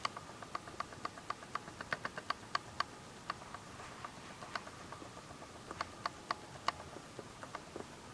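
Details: Canon S100 camera; sharp, quiet clicks about three to four a second in uneven bursts against silence; clicking mechanism fault.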